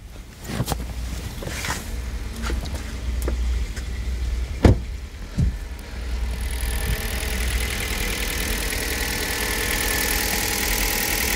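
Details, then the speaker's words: Hyundai Solaris 1.4 L after an oil change to Toyota 5W-40, cold start after standing overnight at 2 °C with idle speed showing it is fully cold: the idle settles smooth and even, with no ticking or knock over the steady engine note. "Судя по оборотам двигателя, очевидно, что он полностью остыл."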